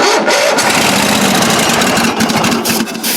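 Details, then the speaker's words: Toro mower started after a couple of years of storage, battery jumped, fuel suspected bad: rough, uneven firing at about three beats a second catches briefly and dies away; runs only on starting-fluid spray. "ain't the easiest thing in the world to do but it sounds like it's running a little bit longer he keeps trying to roll over anyway"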